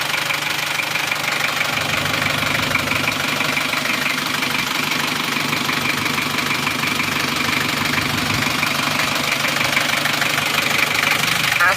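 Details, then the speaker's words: Isuzu Panther Miyabi diesel after an overhaul (new rings, bearings, seals) and a glow-plug wire fix, idling at home after the injection timing was retarded slightly: a steady, even clatter with no knocks or misses, smoother and crisper. Normal idle. "ini kita sudah sampai di rumah akan kita dengarkan suara mesinnya setelah timing diperbarui dimundurkan sedikit suaranya lebih rata lebih renyah lebih"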